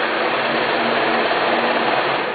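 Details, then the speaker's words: Scroll saw cutting: fast, even buzzing chatter of the reciprocating blade at steady speed with no knocking or binding; normal cutting. "speed 10 gives you enough control and it does cut you know pretty fast so you can get your job done"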